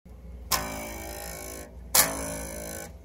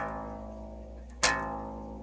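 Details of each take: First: Two plucks of a Fender-style bass's open A string, each buzzing brightly because the nut slot is cut too wide and the low-break-angle string rattles; fixed by tightening the slot. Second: Open A string on a Fender-style bass plucked after the nut slot was tightened with baking soda and superglue and then refiled; it rings cleanly with no buzz or rattle.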